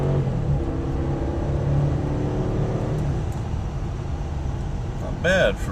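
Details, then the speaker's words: Nearly 5,000lb 4x4 SUV after new gear installed, road test acceleration after about 5 miles; engine pulls smoothly under road noise with no clunks or grinding from driveline; the 4x4 and ABS lights stay off. "nearly 5,000lb vehicle no 4x4 lights no ABS problems okay so far so good"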